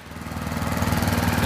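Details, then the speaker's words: A leaf vacuum's small single-cylinder engine after the gunked carburetor was replaced with a new one and the fuel-intake O-ring renewed. It catches and settles into a steady, even putter that builds slightly, with no misfire. Normal running. "go was a success she is running good job"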